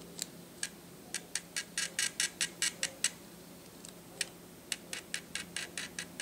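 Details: Atura speedlite (model unknown) zoom head, about 43 dB measured, in a noise comparison with Shanny SN600N and Nikon SB600/SB700: quick high-pitched mechanical ticks in short bursts, about two a second, as the head moves; quiet, normal zoom motor noise.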